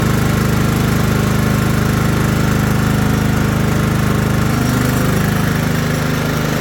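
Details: Craftsman LT1000 riding mower after restoration and steering arm install, deck back on: strong, even, rapid firing pulse, steady throughout with no misses or knocks; normal running.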